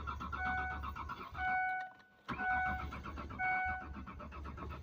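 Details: Mazda B4000 that has sat too long; the owner suspects a returning bad ground connection he had fixed before and listens for the fuel pump: the starter cranks in bursts about once a second with rhythmic churning, but the engine never catches. Crank, no start.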